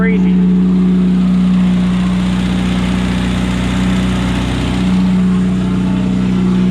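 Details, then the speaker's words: 1972 Opel GT revived after decades sitting (last registered 1979), Solex carburetor, straight-pipe exhaust: loud, even, deep booming drone at idle over a quiet engine; good oil pressure. "here that exhaust though is crazy straight pipe so loud so loud crazy crazy straight pip the Drone is insane you stand out here you hear the Drone like"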